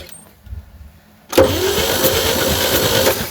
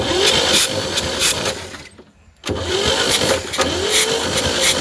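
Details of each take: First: 1960 Chevy C10 235 inline six, sat about 40 years, cranking: about four uneven, lopsided chuffs a second. Suspected stuck valves: compression on 3 and 4, partial on 2, none on 1 and 6. Low compression. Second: 1960 Chevy C10 235 six, sat 40 years, replacement starter with swapped solenoid on dummy switch: engine spins over in steady bursts with uneven chug and pauses; cranking normal, later compression test shows stuck valves.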